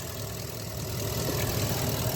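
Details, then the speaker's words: 2017 Ford F250 6.2L gas V8 idling with both IMRC vacuum lines on the intake manifold unplugged: ticking stops, smooth even low rumble, which indicates a bad intake manifold (IMRC) needing replacement. "No tick anymore. Now it sounds like a regular motor, sounds good."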